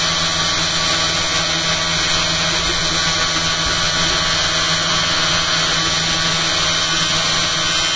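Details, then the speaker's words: Live-stream test of a newly fitted eccentric bobbin holder and magnet holder, spinning at high speed with output at 280 mA into a 6-volt load. A steady buzzing rattle; owner suspects the magnets in the bobbin holder aren't set properly, and current draw is higher than before. "It must be the magnets in the bobbin holder aren't set properly."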